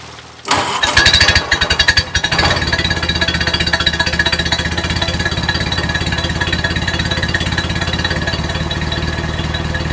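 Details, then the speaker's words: Rebuilt 1932 Ford Model B four-cylinder, run on the stand: brief cranking, then a steady even exhaust beat with no knocks or misses; engine now broken in, normal running. "well there you have it the venerable for cylinder yeah with that wonderful exhaust Rhythm that Henry was so famous for"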